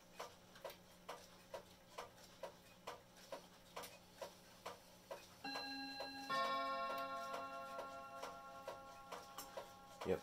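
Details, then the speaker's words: Herschede bim-bam mantel clock on three chime rods, reportedly out of beat; even ticking about 133 a minute, then clear two-note bim-bam strikes ringing cleanly on the rods; chime sounds healthy. "it does sound quite nice um I would say it's probably one of the new nicest sounding clocks in my collection um it's a BIM Bam on three chime rods"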